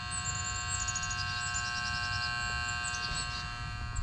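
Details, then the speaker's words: Rheem Classic heat pump at a vacant foreclosed home in Florida, not cooling: the outdoor contactor is pulled in and buzzing at a steady pitch but has come apart, its contact points loose, so the compressor isn't running. "what i'm looking at is our contactor is pulled in you can hear it buzzing uh but the contactors came apart so you see the contact points just laying there"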